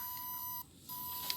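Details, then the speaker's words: Battery desulfator pulse generator on a lead-acid battery: thin high tone that cuts out and returns, with an irregular cycle seen on the oscilloscope; a normal desulfator pulse beep. "the cycle itself it really varies it doesn't seem to be a regular pulse and a regular cycle here"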